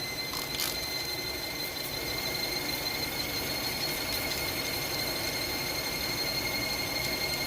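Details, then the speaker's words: Hyundai Tucson at idle: a steady, high, piercing squeal from the accessory drive belt slipping, suspected at a pulley; soap and water is about to be sprayed to test it. "There you go, that high-pitched noise. That's the one I'm talking about. So soap and water, watch, it will go away."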